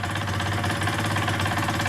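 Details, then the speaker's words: KSR Moto with AM6 50cc two-stroke, freshly rebuilt with new cylinder, rings, crank and bearings, just installed and seconds after first start, cold on choke: busy, even idle with no knocks or rattles; it runs cleanly. "A jak widać silnik wmontowany zaczyna chodzić jeszcze bo to dokładnie dosłownie parę sekund po odpaleniu nagrywam a zapalił bardzo ładnie naprawdę"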